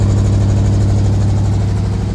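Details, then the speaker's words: 1984 GMC S15 truck with a leaking fuel system, just started: a low idle with an uneven, stumbling beat as a cylinder keeps dropping out. Engine misfire at idle. "It doesn't run terrible, but it's definitely got an issue. So you can hear the miss."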